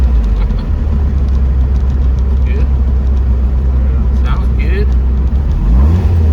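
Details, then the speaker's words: Porsche 914 with a 2056 cc engine, MegaSquirt EFI on dual throttle bodies, performance camshaft, enlarged valves, Tangerine Racing exhaust and 123Ignition, accelerating: a deep, throaty, smooth exhaust note building cleanly with lots of torque; a healthy engine pulling strongly. "the sound of the this setup is very good nice and throaty the car accelerates good with lots of torque up"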